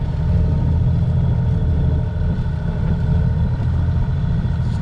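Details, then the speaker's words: Sailboat engine at idle in winter that keeps slowing right down, owner unsure whether it is overheating though the overheat alarm has not sounded; low throbbing idle dipping and recovering, idle speed sagging. "I don't know if you can hear, but the engine's doing this like weird thing where it's just like"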